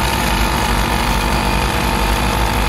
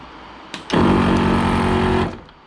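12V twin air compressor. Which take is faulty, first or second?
first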